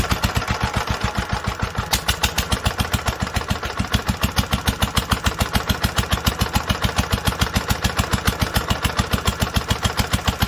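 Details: 1946 International Harvester LBB 3-5 hp water-cooled engine, first cold start after long storage under cover, started after two choked pulls; single cylinder fires evenly about three and a half beats a second with crisp steady exhaust: normal running.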